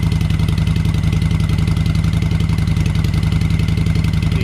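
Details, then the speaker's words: V-twin motorcycle with used Cobra 2000 EFI controller set at 122: even, steady lumpy idle with regular firing and no misses; RPM sounds better, running smoothly. "RPMs on this sound a lot better."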